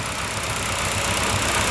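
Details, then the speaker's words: 318 V8 on an engine stand with EZ-EFI self-tuning injection, headed for the Challenger, after replacing a faulty idle air control motor and fixing a fuel rail leak. Steady, even idle with a smooth hiss on top, no knocks, misses or stumbles: runs very well. "so as you can see the thing runs very well and uh this thing's going in my car"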